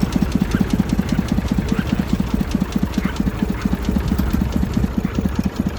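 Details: Massey Ferguson 35 three-cylinder diesel, seized 20+ years in the woods, tow-started in third gear high after the starter failed; it fired after about 300 yards of building compression and heat. Deep, even chuffing at roughly six beats a second, steady rhythm: normal diesel idle.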